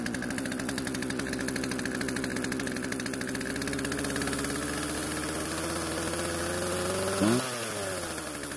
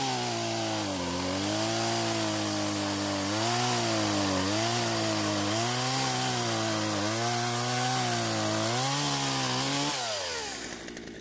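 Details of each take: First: Poulan chainsaw two-stroke restarted after storage with old fuel drained and fresh mix: fast steady buzz at idle, pitch creeping up without throttle; idle speed set too high, chain keeps moving. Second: Poulan chainsaw revived from storage, fresh fuel, chain tensioned and lightly sharpened: steady high buzz that sags when biting into wood, then recovers and winds down cleanly. Normal running under cutting load.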